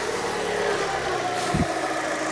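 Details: Fiat 500 1.2 8-valve after a new coil pack and plug leads: smooth, even idle with a steady low hum and no misfire stumble or knock. No ECU errors and no engine light.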